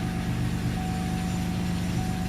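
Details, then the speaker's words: 2002 Chevy Malibu 3100 SFI after replacing crank sensor whose plug had oil inside grounding it out and causing intermittent shutdowns: catches into steady even low hum; somewhat noisy, owner attributes knock to loose cylinders until warm. "all right all right yeah it sounds a little noisy it's those are worst of our problems and of course it's a it's one of those 3100s and you're going to hear the knocking because uh you might understand they're loose cylinders"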